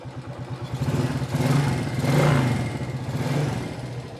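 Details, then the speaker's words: Old Suzuki Shogun 110 motorcycle engine revving: a light fast clatter over the exhaust beat from loose valve clearance, deliberately set wide because the bike is ridden in mountains; otherwise normal for an old engine. "Nah, yang kemeletek itu suaranya klep, setelan klepnya renggang karena motornya dipakai di pegunungan, jadi harus sedikit renggang."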